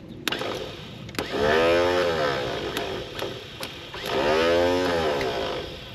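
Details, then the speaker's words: Toyota Stout pickup with 3R four-cylinder engine, unrun since 1984: two bursts of fast electric whir with no compression beat, so the starter spins without cranking the engine, and the cause is unconfirmed. "That's just the starter spinning, ain't it?"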